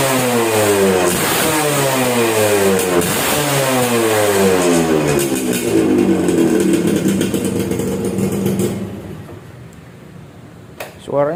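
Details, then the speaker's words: Suzuki Satria 2-stroke, owner complained of heavy, sluggish pull from poorly done porting: crisp revs rising and falling cleanly, even exhaust note, no knocks or misfires; engine smooth and exhaust note fine. "seperti itu untuk mesin sih suaranya halus ya mesinnya suaranya halus untuk suara knalpot juga cukup oke"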